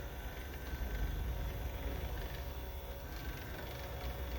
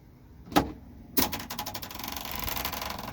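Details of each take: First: Mercedes G-Class W463 sunroof after the fix (a hose re-routed without kinks and secured with a hose clamp), which cured an "aliens in the roof" noise: quiet, low, even motor hum, then a soft stop thump, no grinding or clicking. Normal operation. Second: Mercedes G-Wagon W463 sunroof: after clicks the roof motor runs with fast, uneven metallic clatter, like a motor missing a gear; sunroof drive cable rattle, fixable without tools.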